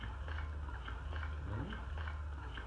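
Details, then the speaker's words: Hygeia EnDeare breast pump on a pressure test gauge, set to medium suction; steady low motor hum with soft regular ticks about three a second; pump running evenly, normal operation. "that's about medium pressure and then i'm just going to go ahead and put it on the maximum"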